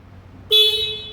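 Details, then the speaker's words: 2007 Honda Bros motorcycle horn after cleaning battery terminals: one strong, steady, clear blast; a strong horn indicates good battery and electrics. "ó uma dica bônus sinal de Parte parte elétrica boa é quando a buzina tá forte"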